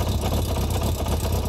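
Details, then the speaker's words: 70hp four-cylinder engine fitted in a kart, idling: lumpy uneven idle with stumbling exhaust beat; owner suspects one cylinder not firing (one exhaust cold on thermal camera), possibly a clogged carburetor jet; later traced to burnt ignition coil. "à un moment où j'ai un doute le cylindre j'ai l'impression qu'il ya un cylindre qui tourne pas"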